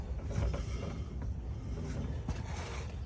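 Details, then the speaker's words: 1959 Chevrolet El Camino, rear tire spun by hand after hard launch: slow, uneven dull clicks and creaks each turn, tire not driving; owner suspects broken rear axle, not confirmed. "yeah I think I broke the axle"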